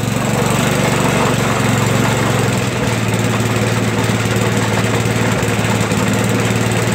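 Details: Toro 421 snowblower, small engine, cold start after about 2 years unused, fuel turned on after first pulls, started in a couple of pulls: steady, even putter holding constant speed with no misses or knocks; running healthy.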